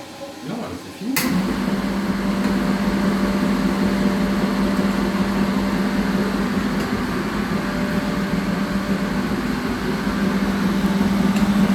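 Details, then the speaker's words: Lincoln Prestige on first test after unboxing and derestricting: steady even pump buzz starting after about a second, no grinding or rattle, no bearing noise; normal pump operation. "Ouais, mais Nickel. on n'a pas un bruit de palier."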